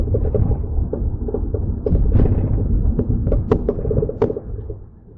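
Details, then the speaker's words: Mercedes C300 after front-end work (CV axles, wheel bearings, front brakes), microphone in back seat while driving; irregular hollow clunks and knocks from the rear over road rumble, something loose, cause not yet found. "All right. So, that is what I have been hearing. Um, again, I got to pull it in, take a look around, and see what is loose or what's going on in the rear."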